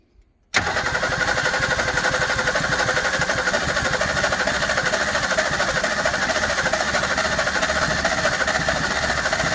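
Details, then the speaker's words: 1961 Ford Falcon Futura parked 20 years, first start attempt with old gummy fuel; engine catches and runs with an uneven stumbling beat, some cylinders firing and some not; owner wonders if the choke needs closing. "still here some of them hitting and some of them not i don't know if that choke needs to be closed i guess"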